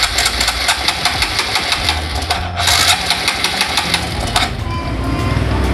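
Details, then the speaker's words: Carbureted older-model Honda Supra X125 after cam chain tensioner work: starter spins the engine over with even, rhythmic pulses but it never catches; cranking no-start. "Kita cek dulu apakah bensinnya masih ada atau tidak ya teman-teman, karena tidak bisa hidup ini."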